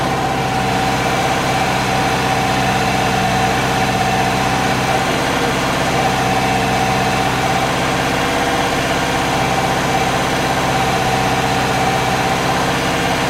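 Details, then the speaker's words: Subaru newly built engine, first start and cam break-in: steady idle with faint uneven lope, no knocks; rough idle, owner suspects injector scaling needs tuning. "it did have a problem idling which i think is just the injector scaling"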